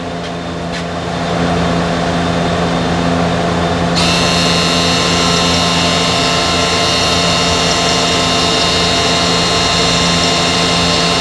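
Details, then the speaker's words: 2015–2017 Subaru Legacy electric parking brake entering brake maintenance mode via scan tool for pad replacement, mic at the caliper motor: sharp steady high electric whine, no grinding or stalling; motor retracting normally. "Then it says brake maintenance mode was started. During maintenance mode, the electric parking brake switch is disabled."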